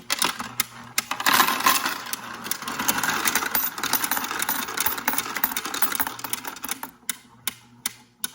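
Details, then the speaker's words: Royal Sovereign Quick Sort coin sorter after about 1 year 2 months of use, fed a handful of coins: uneven rattling clatter with quick clicks over a light motor hum, fading as the hopper empties; normal operation. "So I took out some coins here, so just get a handful right there, and you're going to see it separating them, and it does the job pretty quickly."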